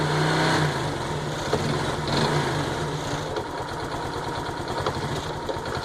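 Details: Honda Biz 125 (2010) just out of engine rebuild, idling and blipping with irregular light internal tapping under the exhaust beat; mechanic says piston skirt slap from abuse, owner doubts it.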